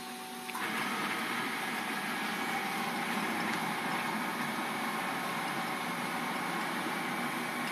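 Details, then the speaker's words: Quiet servo jogging on the FamiLAB CNC after GeckoDrives were moved next to the motors and tuned; 48V on 60V servo motors. A soft, even whir starts as the axis moves and holds steady, with no grinding, knocking or hunting. Normal, healthy drive. "I'm just going to do a bit of jogging right here to show you how quiet it is"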